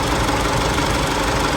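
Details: Isuzu D-Max 4JK1 diesel that shakes, lacks power and smokes black: rough, uneven idle with a harsh knocking clatter and shake; injectors found leaking and clogged.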